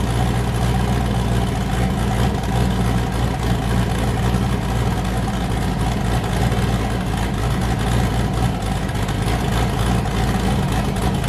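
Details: Boosted V8 with a new cam, fired up after a repair and before warm-up; it had earlier hit 23 psi and blown a coupler. A deep, lumpy idle lopes steadily with no misses or knocks: a normal idle with a choppy cam.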